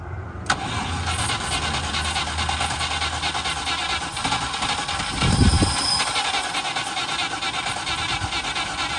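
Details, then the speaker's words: Range Rover Classic 3.5 litre V8 standing 21 years, jump-started from another car: long cranking with weak catches that never run; firing with spark but fuel pump not engaging, petrol in tank uncertain; automatic transmission leak also appeared. "So, we've um obviously got it firing. It would run if the fuel pump was um engaging. I don't even know if it's got petrol in it."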